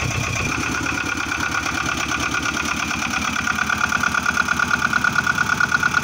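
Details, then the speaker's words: Boat engine idling after generator replacement and belt tensioning, charge light out, voltage correct; even steady idle with regular beat, no belt squeal or flapping, indicating good belt tension. "No flapping around. Perfect. Yeah, when you start the engine, you need to check that the belt isn't flapping around. That means you have a good tension."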